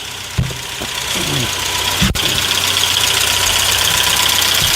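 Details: 1992 Saab 900 Turbo, long-sitting, first start, cold: idle settles with a light, fairly regular clatter about four times a second over the engine hum; source unknown.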